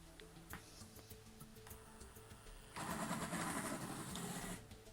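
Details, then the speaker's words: Carrera 31094 Track Cleaning Truck slot car pulling away on track: a faint hum as the motor tries to turn but is overloaded by all three cleaning parts, then a louder whirr as it drags forward; motor not up to the job. "did you hear right at the start of that that kind of humming noise that's the sound of a motor trying to turn but being prevented because it's being overloaded with all three megabits in this truck"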